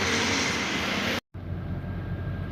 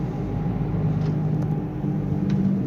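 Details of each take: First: Nissan Sunny test drive after repair of a speed-dependent humming and vibration; at higher speed only even tyre and road rush, no droning hum that previously grew loud by 100; normal wheel bearing, no hum. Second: Nissan Sunny while driving: a steady low hum under road rumble that grows with speed, also present in neutral, with noticeable vibration while the engine itself sounds normal; wheel bearing hum.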